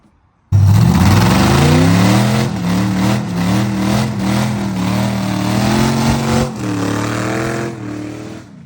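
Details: Oldsmobile Cutlass with an LS swap, no exhaust and no tune, doing a burnout on only 5 of 8 cylinders; hard rev with a ragged, lumpy, uneven beat, a misfire on three cylinders, later fixed to run on all 8.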